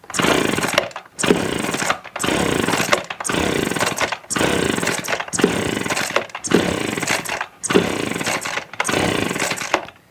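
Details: Echo PB255-LN leaf blower, no-start, choke on and primed, no air filter, wet plug: about nine recoil pulls, each just a whirring spin with no pop or catch; no spark, failed ignition coil.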